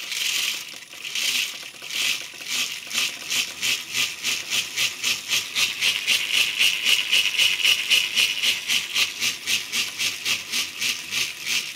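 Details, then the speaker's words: CNC lathe conversion of JET BD-11, 1.5 kW servo spindle drive, HTD8M 40 mm toothed belt on hollow 3D-printed plastic pulleys: fast high-pitched squeak about four a second as teeth mesh tight-fitting grooves; belt sings when tensioned. "Вот ремень натягивается, начинает звенеть, как струна."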